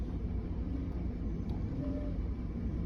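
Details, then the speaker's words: 2002 Ford Explorer 4.6 V8 with codes cleared: deep, uneven, stumbling idle from a heavy misfire; a cylinder contribution test pointed to cylinders 4 and 8. "yep here tonight got O2 uh Ford Explorer 4.6 and uh if you all can hear it missing big time"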